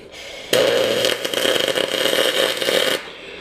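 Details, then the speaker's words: MIG welding uncleaned, heavily oxidized dirty aluminum: harsh uneven cracking and popping arc as the wire tries to burn through the oxide layer, only partially welding in. "you hear that cracking and popping that's the that's the wire trying to burn through all that"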